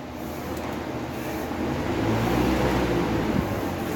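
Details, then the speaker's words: Electric fan that had been sticking and noisy on startup despite a new shaft and bushings, after reassembly with the loose front washer correctly seated. It now spins strongly with a steady, even low hum and no rubbing or catching noise. "bueno ya no se escucha el ruido castilla y si gira recio vamos a y probar de nuevo otra vez ya no es el ruido"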